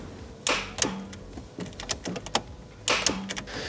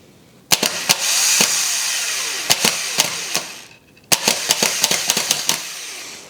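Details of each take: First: BMW E46 coupe after m52b28tu engine swap (MS43): sharp dry irregular starter clicks with no cranking; starter tested good, a forgotten connector was left off, reattaching it fixes the no-crank. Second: BMW E46 starter (car with a swapped-in M52B28TU engine) tested by jumping the solenoid with a screwdriver: two bursts of high, fast whirring with sharp crackles, so the starter works. The no-crank fault was a forgotten unplugged connector.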